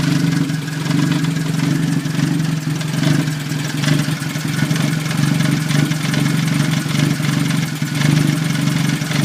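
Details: 1989 Toyota Tercel with 3E engine idling rough: steady loud idle with an uneven, lumpy low rumble that wavers instead of running smooth; cause unknown.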